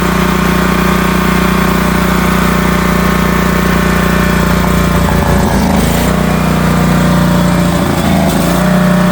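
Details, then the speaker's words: Northstar 10000 10kW auction generator running on old bad gas: steady drone that wavers and stumbles a couple of times; rough running, owner suspects dirty carburetor, choke only partially in. "Carburetor's dirty. Choke's only partially in."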